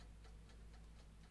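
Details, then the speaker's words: Vevor 6.5 L ultrasonic record cleaner, clockwork dial timer that won't turn back to zero; soft, even ticking about four per second over a quiet hum as timer runs down; normal mechanical timer ticking. "this doesn't feel like it wants to be turned back to zero if you listen carefully you can hear it ticking so that's a bit of a shame"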